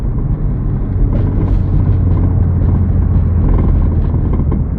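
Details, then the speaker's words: G80 exhaust: heavy low rumble with an uneven buzzing rattle, heard constantly while driving, from the aftermarket exhaust's mid pipe rubbing, believed installed upside down; planned fix is flipping the mid pipe. "You guys hear how bad the exhaust sounds? Listen. Watch. That's all you hear the whole time while I drive. It's so annoying,"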